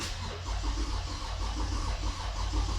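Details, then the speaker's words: Toyota Avalon with hard-starting complaint: starter churns at an even rhythm for several seconds but never catches, rpm gauge not moving; owner checks fuel delivery and pressure next; cause unconfirmed. "Ayan oh. Hindi gumagalaw yung RPM. Isa pa. Ayan. Wala oh."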